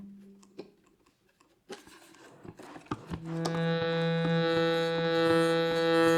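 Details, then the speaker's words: Shruti box reed after filing, retested with cover back on: steady drone with a faint rattly buzz on top, the third reed still buzzes though fainter. "got a buzz [Music] and lastly the third reed much fainter but still there"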